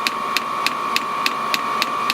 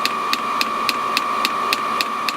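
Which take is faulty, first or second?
second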